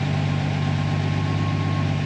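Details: Jeep Willys engine running on a newly installed Fueltech ECU, restarted after ECU power cycle; even, steady idle with low constant drone, no misses, knocks or hunting, very small fuel correction; normal idle.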